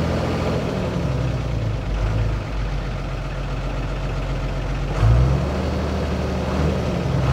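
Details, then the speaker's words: Heavy diesel trailer truck after a quick repair: settles into a steady, even low idle with one brief rev, no knocks or misses, running normally again. "โอเคครับหายแล้วครับผมเป็นปกติครับ"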